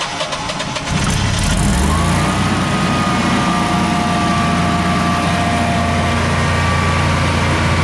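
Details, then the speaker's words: Generac Guardian 16 kW standby generator, refurbished after its battery exploded: a brief crank, then it catches and runs evenly under about 3000 W of heater load with a faint whine, shroud off. It starts, runs and puts out power properly. "so anyhow apparently runs and puts out power does everything it's supposed to"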